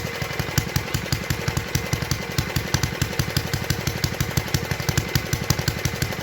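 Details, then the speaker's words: 1952 Clinton VS-700 mower engine at idle after the clogged fuel line was cleared, no air filter fitted: steady, even beat of roughly three firings a second with no misses; healthy running. "anyway as you can tell she was pretty good at idle"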